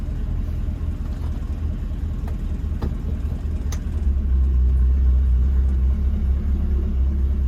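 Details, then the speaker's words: 1966 Ford Mustang convertible, started with two to three accelerator pumps: deep, even low rumble holding steady with a slight lift partway, idling in gear, much improved over the earlier improper choke/high idle; normal idle. "In gear and everything. I like it."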